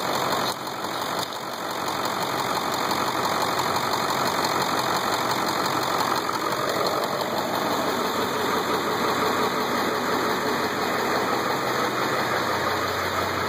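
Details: Ford 7.3 diesel at idle: steady idle with an even, light clatter and no heavy knock; the owner first thought it was a knock, but the engine proved fine 70k miles later; normal injector clatter.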